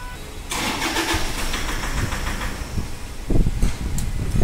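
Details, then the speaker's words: Toyota Fortuner at start-up: rough cranking and a ragged start with heavy irregular knocking thumps, then the engine stalls. It blows white smoke and has a pickup drop, with check and ABS lights on. Hard knocking on start, cause not yet found. "Friend इसमें problem क्या है जब गाड़ी start करते हैं तो फूल knocking कर रहा है कब तक नोज का आवाज ए रहा है और व्हाइट स्मूथ भी मार रहा है"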